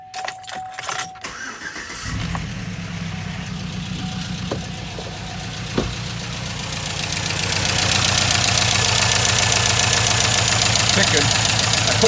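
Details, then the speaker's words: 2007 Chevy Avalanche 5.3 V8 with AFM after AFM lifter replacement and new wires, oil topped up: engine starts, then quick steady tick about four times a second over idle, seemingly cylinder 3 and others; owner suspects non-replaced standard lifters. Valve train ticking. "But I'm getting a ticking in number 3. 1, 2, 3, I believe. So I'm going to pull this off. And they all sound like they're ticking a little bit more, you know."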